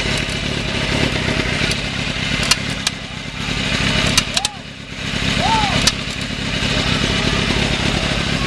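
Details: Suzuki GSX-R K1 with engine running: a short high squeak chirps about every second, traced to the right-side crash cap; spraying WD-40 on it made the noise disappear.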